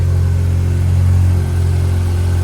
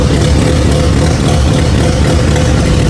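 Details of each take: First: Barn-find Mazda RX-7 with rebuilt rotary, after fixing a start-then-stall issue: deep smooth even burble at a slightly raised idle, TPS not yet set; idling healthily. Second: Barn-find turbo Mazda RX-7 rotary, first start after 25 years on a rebuilt engine: a loud, deep, uneven drone that lumps and wavers, engine shaking, with a turbo oil-feed banjo bolt leaking; running really rough.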